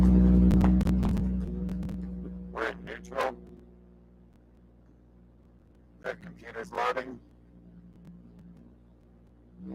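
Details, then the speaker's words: Toyota 1MZ-FE V6 in an MR6 race car, first start after final button-up: even low hum settling from a blip into a steady idle, no knocks or ticks; healthy fresh engine. "Damn, this thing sounds good."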